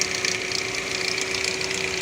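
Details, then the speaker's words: Chevrolet Captiva, engine idling with check-engine light on: fast, light metallic chatter at the front of the engine over a steady hum. A classic timing chain rattle, confirmed as chain noise before the chain service. "tá fazendo um barulho de chocalho lá na frente lá tem problema clássico das correntes"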